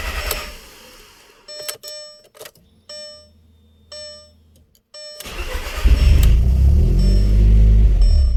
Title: 2001 Audi TTS no start help